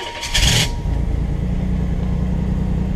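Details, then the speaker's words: $300 project car, after cleaning up burnt and skinned wiring and adding missing fuses: a brief crank catches cleanly into a steady, even low idle with no misses. Barely any oil pressure; oil level unknown. "I know everything works the engine runs I'm satisfied"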